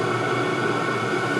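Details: All-in-one 12V/24V/240V diesel heater on 24V at full output, body temperature rising from 130°C toward an estimated 170°C tick-over point where the fans slow. Steady rushing roar with constant fan tone, no rattles or surging; running cleanly.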